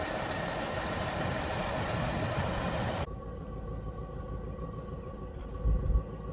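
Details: Partially restored classic Ford Fairlane that sat for years, first start after new accelerator pump: loud rough rumble then sudden cut to quieter hum; smoking, transmission won't hold gear, suspected low fluid from leak.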